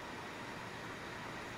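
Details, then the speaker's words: Dell Inspiron N4020 laptop cooling fan, oiled two years earlier after going bad: steady, even airy whoosh with no ticking, rattle or grinding, bearings not gummed or jammed, a normal healthy laptop fan. "the fan running that fan surprisingly was oiled using the right stuff the red can"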